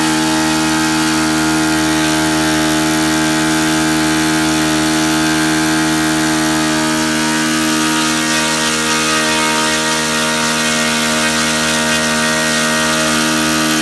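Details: Saito FA-62 four-stroke glow engine in a Hangar 9 Piper J3 Cub, owner troubleshooting in-flight stalling at about half tank: steady, even buzzing idle at constant pitch, no misses or surging; idles cleanly.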